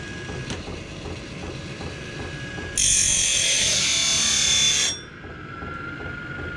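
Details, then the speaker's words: Battery-powered (about 12.36 V) cutting wheel motor under load: low hum jumps to loud hissing grind for two seconds while the worn, over-sharpened wheel cuts, then drops back; motor labouring under load. "Hear how hard it's working there. Well, it's not too bad, but I think I'm gonna crank her up a little bit here."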